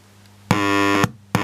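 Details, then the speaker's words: Wall-transformer power supply with 2N3055 capacitance-multiplier hum suppressor, output near 12 V with 12 V lamps as load: steady buzzy tone in short on/off bursts over a quiet background; a low-level oscillation, judged not very high. "and let's listen to the hum now, the hum level, the ripple level."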